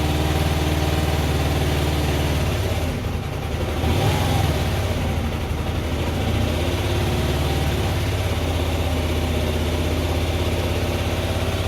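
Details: 2004 Hyosung GT250 Comet after carb cleaning and new fuel filter: small twin burbles at a fast cold idle on choke, dips around a quick blip then settles, choke almost fully off and idling about right. Normal warm-up.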